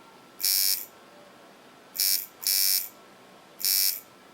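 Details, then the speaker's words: Watson coil tattoo machine with an aluminium frame: the buzz comes in short bursts that cut out as the armature pulls down magnetically and sticks, which is blamed on a faulty contact. "you see what I was talking about how it kind of went down magnetically and stuck there mean something's wrong WR here with mine it's the contact I can tell you that right now"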